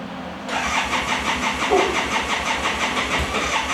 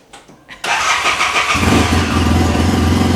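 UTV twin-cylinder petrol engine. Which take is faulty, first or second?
first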